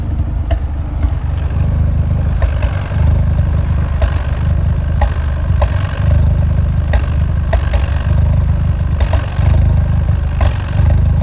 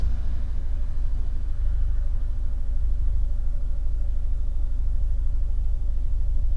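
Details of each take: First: Fiat 124 Spider 1.4L MultiAir Turbo exhaust at idle, extremely rough and lumpy with irregular thumps; cylinder 4 misfire, occurs randomly when stopped; suspected camshaft issue. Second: Fiat 124 Spider 1.4L MultiAir Turbo after camshaft inspection and regapping a plug, in cooler temperatures: steady smooth idle at 750-770 rpm, even low exhaust rumble, zero misfires shown on laptop.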